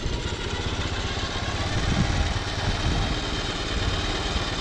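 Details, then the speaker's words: Vintage motorcycle, one of 14 being revived, with no headlight and shifting problems: steady, even idle with a low, smooth thump and no knocks, misses or rattles. Normal idle; the bike is suggested as a parts donor. "sounds good if you use this one for parts because this red one over here needs an exhaust"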